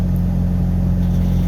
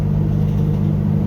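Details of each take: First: Pickup after reconnecting MAP sensor to a different port, previously idling rough with a code: just started, even steady low idle with no misses; running smooth, owner thinks wrong MAP port may have been the cause. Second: Pickup truck cold start about five hours later, after reconnecting the MAP sensor to the correct port: steady, even hum with a slightly fast beat, no misses; idling kind of high but smoothly, warning light not coming on.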